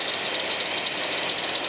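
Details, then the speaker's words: 1997 GMC Safari 4.3 liter van at idle: harsh, hissy, high-pitched rattle from the left front accessories, owner suspects the alternator; belt tension low on that side but belt replaced a year ago; source unconfirmed. "H folks as you can hear I got something making a God awful racket coming from the front of my motor here and it sounds like it's the alternator"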